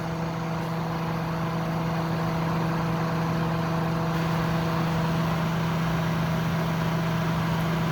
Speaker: that compressor sounds amazing it's too bad the Fan's so loud